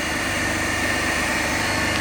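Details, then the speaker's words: Three-phase induction motor (coupled to DC compound machine) on balanced 230 V supply at no load, about 3.5 A per phase, wattmeters about 100 W each, around 1484 rpm; steady even hum with faint constant whine, normal no-load running. "Means right now we have not loaded it electrically, and now right now it is operating on no load condition."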